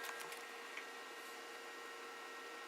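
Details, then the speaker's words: FLSUN QQS delta 3D printer sitting idle: a steady, airy hiss with faint thin whistles from the cooling fan, which is noisy even though deltas are supposed to be quieter; the foam soundproofing touching the top does little. "These delta pinders are supposed to be quieter, but you can hear the fan there. It's noisy."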